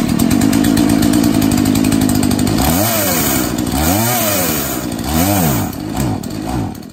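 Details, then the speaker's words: Husqvarna 236 chainsaw, reassembled after checking for an air leak: it fires and holds a high buzzing rev, then bogs and surges repeatedly because the chain blocks and binds. "It appears that the blade doesn't function properly. That's why the chainsaw doesn't work the way it should."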